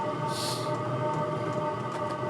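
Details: All-in-one 12V/24V/240V diesel heater with an exhaust now fitted, no silencer supplied, housing very hot. Steady even combustion roar with faint hum, no surging or popping; heater burning cleanly and running normally.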